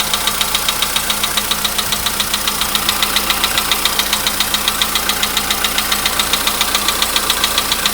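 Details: VW Polo Sedan, 99,329 km, cold start, 15°C shown; sharp even tick just under two per second over idle, owner calls it anvil-like and worsening; fades after about 5 minutes as it warms; engine knock, source not located.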